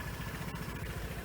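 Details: Piaggio Vespa GTS 300 fuel-injected scooter after a no-start fixed by dealing with the battery, alternator charging about 14 V: small single-cylinder idle with quick, even pulses and steady pitch, no misfire or knock; idling normally.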